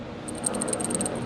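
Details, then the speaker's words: Removed air-fuel sensor (BO2) from a K24-swapped 8th-gen Honda Civic, which had a chafed wire and was not working properly; shaking it gives a light, tinny run of loose ticks like a cat toy, so the internals are broken and it was replaced with a new one. "sounds like a cat toy BO2 is just bad so we had a brand new one oh six Civic looked just like this so I replaced it"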